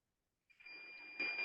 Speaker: Multimeter की beep सुनाई दे रही है सबको, मतलब ये वाली कॉइल हमारी शॉर्ट, ठीक है।